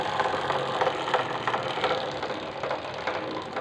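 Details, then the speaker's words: Bajaj Platina 110 rear wheel turning with a dry rhythmic scraping about three times a second: drive chain rubbing on the plastic chain guard; owner suspects rear suspension setting and plans lowering it to lift the chain. "यहां पर हट रहा है जिसके कारण आवाज आ रही है"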